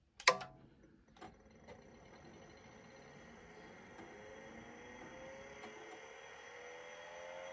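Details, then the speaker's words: Vintage 5.25-inch hard drive at power-on: a clunk, then a spin-up whine whose pitch keeps climbing well past normal steady speed; spindle spinning too fast, PCB problem suspected, not confirmed. "Uh-oh. The spindle is spinning way too fast. Yeah, I think the spindle is spinning way too fast."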